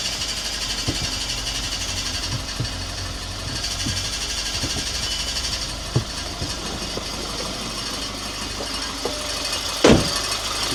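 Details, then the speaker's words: 2014 Audi A1 1.4 TFSI S line after gearbox and new clutch fitted, cold start on stands: uneven scraping tick about once a second over idle, found to be a bent bracket rubbing the clutch; noise gone after fixing. "Well, that was a cold start. It's a little bit noisy. [Music] [Music] I don't know why is it so noisy."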